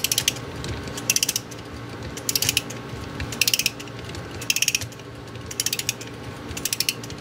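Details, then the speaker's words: Antique Japanese Seikosha wall clock movement during teardown, mainspring being wound with a key: bursts of quick, crisp ratchet clicks about once a second, click catching cleanly; normal. "So we're going to fully wind this. And as it winds, you can see the click."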